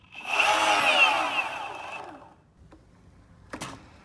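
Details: Boosted Stealth electric skateboard back left motor spinning up with a harsh, rattling clatter audible blocks away, fading on coast-down with stray clicks; wheel and bearings ruled out, motor blamed and a free replacement motor received.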